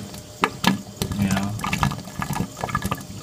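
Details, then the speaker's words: Aquarium overflow with main drain valve fully closed, standpipe alone draining the tank at full flow: loud, uneven gurgles and sloshing bursts of air and water. "so right now all we have draining this tank is this stand pip and you can see it and you can hear it gurgling"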